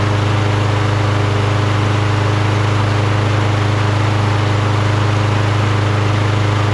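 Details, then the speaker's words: Toro Recycler XT675 mower with Kohler single-cylinder engine, after closing the throttle plate holes and correcting the too-far-forward governor/linkage position: even, steady drone with regular firing and no misses or surging; now runs smooth and starts first pull. "smooth so now it runs smooth starts on the first pool"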